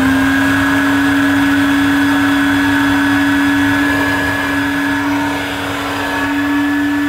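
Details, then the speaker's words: Old, faded Electrolux 502 vacuum bought as a donor machine, which the seller said worked, run for the first time: loud steady drone with a hard fixed-pitch hum and coarse rushing air, not how it should sound; owner suspects a motor swap is needed. "hmm no that's not very good that is not what it should sound like at all i'm sure my other one sounds better than this so it could be a motor swap needed"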